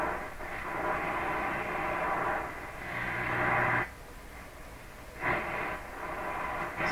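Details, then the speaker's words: 1940s Stromberg Carlson Model 515 floor-standing tube radio, AM band selected with band switch in middle position: loud hiss and rushing static with faint signal swells fading in and out; receiving, but weak AM reception. "This is definitely the AM band, and the radio is actually receiving. It's just receiving very poorly."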